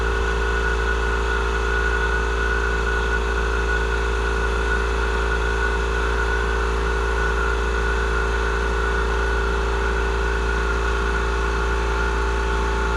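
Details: Murray 42-inch riding mower, 18.5hp Briggs & Stratton PowerBuilt OHV, after cleaning a completely clogged carburettor fuel inlet: steady low hum with constant pitch, no surging or stumbling; engine runs evenly and healthy.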